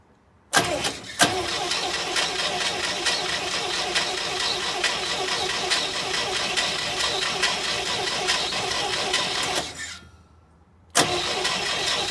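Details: International Scout 80, after an oil change, out of gear with the coil disconnected, cranked by a button to circulate oil through the new filter: steady, quick starter churning with no firing, a pause, then more cranking. Normal cranking without starting.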